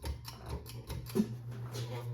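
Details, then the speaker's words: 52in Evergo hugger ceiling fan, given away because it was very loud, running on low speed. Steady low hum with a quick clacking tick about four times a second; loud running noise, cause unknown. "he gave it to me because it was real loud so I'm going to show youall how loud it"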